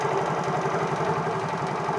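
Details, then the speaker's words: Motorcycle after its faulty IC was replaced, started repeatedly and running immediately on the key: small engine idles evenly with a steady patter, holding speed with no dips or stumbles. Normal idle. "nah ini sudah terjadi tenang loh kita matikan lagi kita kontak kita hidupin mana tenang kita matikan kita hidupin tenang"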